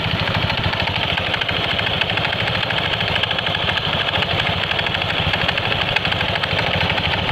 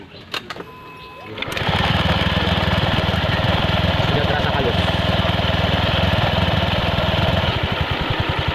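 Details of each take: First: Honda Scoopy scooter idling with a fast, regular clatter of light knocks from the CVT, owner's klotok-klotok complaint; with the cover off, the knock is judged to come from the front pulley side rather than the rear. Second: Honda Scoopy scooter after CVT repair, with the CVT cover off: starts and settles into a smooth, even idle with no clatter, unlike the earlier knocking.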